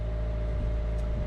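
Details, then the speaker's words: Sailboat auxiliary engine at sea, started run to recharge low batteries: it took effort to fire up and had trouble drawing cooling water, which the owner suspects is an airlock or an air leak. Now a steady, even low drone with no misses. "took a little doing to get the engine fired up it's having trouble sucking water up into it"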